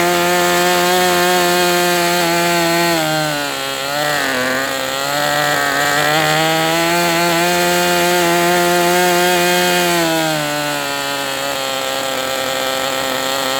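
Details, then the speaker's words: MDS 68 FS Pro glow engine on a break-in run with an OS No. 8 glow plug: high buzzy single-cylinder note holds a steady idle with slight hunting; rich on the low-speed needle but idling. "Rich on the low end for sure. Hey, at least it's holding an idle."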